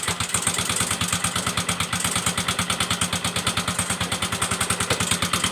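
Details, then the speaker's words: Yamaha Mio M3 125 scooter, hard to start: loud, harsh idle with a fast uneven beat and sharp rattly clatter, blamed on late engine oil changes; dirty clutch shoes and bell found, to be cleaned. "Bunyi mesinnya itu kasar, Guys, ya."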